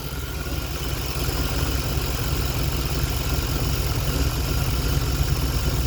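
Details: 1989 throttle-body-injected truck after the fuel tank, lines and clogged pre-filter were cleaned: low, even idle rumble that holds steady and builds slightly, with no surging or stumbling. The engine runs smoothly.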